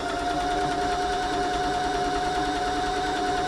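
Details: Janome 525s sewing machine after service, stitching: even steady hum with one soft constant tone, no knocks or rattles; tension good, nothing needing adjustment; quiet, well-made machine running normally.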